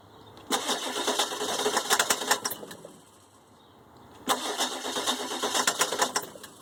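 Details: 2003 Ford E350 7.3 turbo diesel: two bursts of uneven starter cranking with no catch or idle and silence between tries; the engine turns over but won't start.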